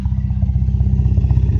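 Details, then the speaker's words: 1998 Mitsubishi Eclipse GS during a tune-up after a rebuild: steady idle with quick, even low popcorn-like exhaust pops; owner suspects lifters needing adjustment cause the popping, not confirmed. "There's more pop, I hear more popping, like popcorn on my exhaust pipe, like, you know, after that happened."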